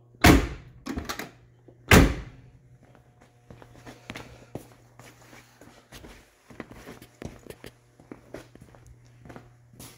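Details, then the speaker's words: Door latch on a 1979 Lincoln collector series after door striker bolt replacement; two crisp solid thunks, then light quiet clicks with no rattle or grind, no loud clicking anymore and still wearing in; normal door latch operation. "it's working it's not clicking it's getting better like I said The more you use it better it's going to get for that nice pop open"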